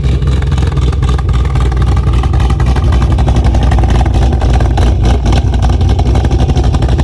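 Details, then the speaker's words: Car just flashed with a ghost cam tune, idling after start: loud deep exhaust with uneven chopping beat about four lopes a second, deliberately lumpy idle from the tune after initially idling normally. "once you first start it up it's gonna idle normally and then it will start chopping all right guys so the car is now chopping"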